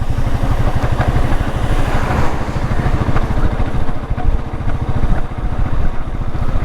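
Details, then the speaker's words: Royal Enfield Meteor 350 with over 60,000 km, riding in 5th gear, pulling from 30 to 40 km/h: even steady single-cylinder thump pulling cleanly at low revs, no knocks or misses; stable at 40, good low-end torque, engine healthy. "40 കേട്ടോ. 40 വണ്ടി stable ആയിട്ടുണ്ട്."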